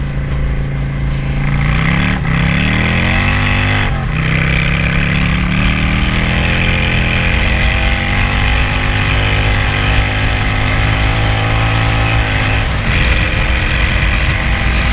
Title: vacuum leak sorted 👍